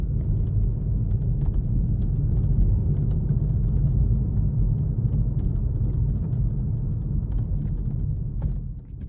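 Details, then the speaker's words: Kia Stinger driving, heard from inside the cabin before the fix: irregular light metallic clicks and rattles over heavy road rumble. Sunroof rattle, later fixed by laying rubber strips under the lifted roof panel. "now before I applied this fix my roof sounded like this and it drove me up the wall"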